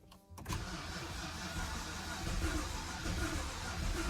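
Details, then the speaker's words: BMW E90 with P0300, low compression and no-start from loose bearing cap bolts, cranking after the fuel pump fuse is reinstalled and pressure builds: short crank, then it catches and settles into a steady run. "hold on hold on just pressure build up a little bit so like it's going to crunk guys so like it's going to start so sound like it's gonna start hopefully"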